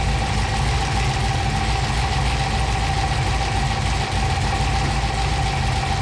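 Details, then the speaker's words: 1955 Chevy Apache with a 6.2 V8 stroker (Scat kit, AFR heads) and a Holley system still learning. Deep, steady idle with an even beat and no misses, knocks or ticks. Cylinder exhaust temperatures all read pretty close. Normal idle. "But okay, sounds good now. they're all pretty close."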